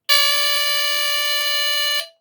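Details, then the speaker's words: Replacement mechanical buzzer for a postwar Lionel diesel locomotive horn, bench-tested on a 9-volt battery: a loud, steady, raspy buzz at one pitch for two seconds that cuts off cleanly. Louder than the original, with a different tone. Normal buzzer. "Much louder, much better. you're going to hear this over the track relay buzzing and any other noises."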